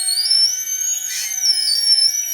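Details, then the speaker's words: Boat tender hydraulic lift lowering: thin wavering high-pitched squeal/whine from dry, salt-crusted hydraulic supports rubbing metal on metal, worse as it comes up; to be greased. "hear that little whining well coming up it's coming up it's much worse"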